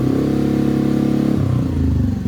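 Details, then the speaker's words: Honda NAVI, fully warm, after carb tuning: quick quarter-throttle blip climbs smoothly and settles straight back to idle, no stuttering; former quarter-throttle bog gone, clean throttle response. "Completely gone. No stuttering, no buffering, no nothing."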